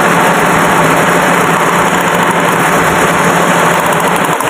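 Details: Car engine that jerks at idle, at speed and on acceleration, with no power, running on 3 cylinders: the idle is lumpy and shaky and gets rougher as each good cylinder's plug lead is pulled; one cylinder is misfiring.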